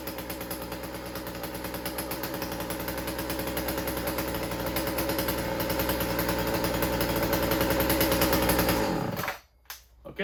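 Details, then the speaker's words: Chainsaw after fixing a stuck carburettor needle, idle turned down: steady high buzz at full throttle with a slightly uneven, burbling pulse before cutting off; mixture running rich on the high end. "it's got good response to it but I can hear that it's rich on the high end so you listen to it now how it changes okay"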